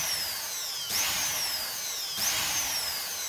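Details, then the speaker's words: Multi-function blender repaired after not running, motor mounted on a fixture, wiring checked for breaks: high, even motor whine rises and falls twice with pulse switching, runs continuously, no grinding or scraping; healthy running. "Đấy bậy chạy liên tục này Nhấn nhả nhá đó"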